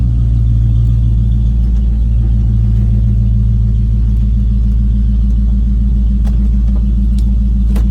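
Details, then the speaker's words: 1989 Ford F-250 big-block V8 at idle with no catalytic converters, a 3-inch exhaust and a near-straight muffler ending behind the passenger cab: deep, heavy, loud droning rumble; owner feels idle is high but suspects it's just the loud exhaust. "Could just be the exhaust just being loud. I drove it for about 15-20 minutes earlier today, and I just got done and had a freaking migraine. It's a lot of drone."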